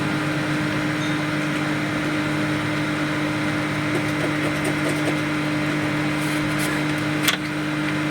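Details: Home-built 5000 W BTL power amplifier kit with replacement filter capacitors: constant low, steady mains hum with faint clicks, reduced but not eliminated by grounding the CT to the chassis; hum disappears with the input disconnected, so the problem is in the input stage.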